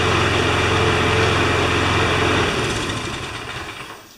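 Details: John Deere JS25 engine after teardown, test-run before reconnecting to gas tank; small single buzzes at quick, even beat then winds down smoothly with no knocks: normal running.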